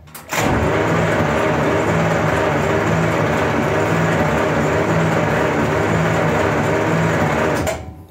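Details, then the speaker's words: 1939 Buick Century, first crank in a year with all spark plugs out: starter turns the engine slowly and evenly at about four beats a second; slow cranking but it turns over. "nice crank it over real slow but she's cranking over"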